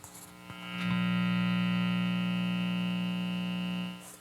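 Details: Hallicrafters S-38A tube receiver, restored, isolation transformer removed, 3-wire fused filtered cord with safety capacitors, antenna disconnected, volume down, microphone on speaker: steady low buzz, no signal; mains hum.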